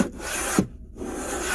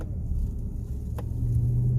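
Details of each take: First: 2018 Chevy Silverado on test drive: dry rasping scrape in short bursts with squeaks when braking, mistaken for brake noise; seat belt sliding against trim by the seat, gone once belt folded away; brake control module recall already done. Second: 2018 Chevy Silverado on a test drive after the brake control module recall, windows up, warm after about 10 miles: low steady road rumble while slowing, with no grinding, squeal or pulsing; braking sounds clean.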